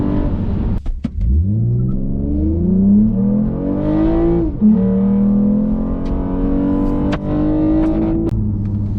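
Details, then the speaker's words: 8th-gen Toyota Camry XSE V6 with D3 Performance 91 tune and MagnaFlow exhaust, cruising about 45 mph: smooth even engine note, no low boomy drone, which had been bad at 40-45 mph before the tune. "So right now we're cruising at about 45 miles an hour. Not a thing. There's like no drone."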